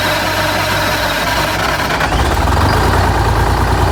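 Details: 1985 Bluebird Wanderlodge PT40 diesel, after refilling the nearly empty primary fuel filter and priming, catches and settles into a firm, even clatter at steady idle, before buffer/fast idle adjustment; running normally.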